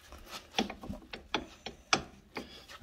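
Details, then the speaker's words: Older Jeep Cherokee front axle, wheel off: sharp irregular metallic clicks as the driver-side u-joint is rocked by hand, showing play that shouldn't exist; worn u-joint with missing needle bearings, being replaced. "it Wiggles that much needs to be replaced I mean it shouldn't wiggle at all"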